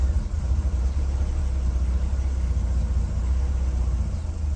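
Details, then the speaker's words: Classic Mercedes W114 280 CE with electronic points, which had long had starting problems: a deep, even rumble settling into a steady run on start, though a misfire is still reported and the exhaust is blowing slightly. "Starts okay. There is misfire. And the exhaust is blowing a little bit."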